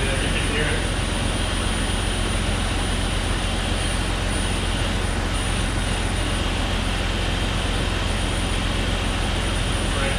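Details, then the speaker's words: 2001 Jeep Cherokee XJ 4.0L at idle: steady thin high whistle that has grown into a loud rush of air; vacuum leak traced to a cracked part found by ear. "the only issue I've really had is there's like a small whistling noise from a vacuum leak somewhere sadly it got a lot worse so I think whatever cracked probably opened up and now it sounds like a big like ocean of air"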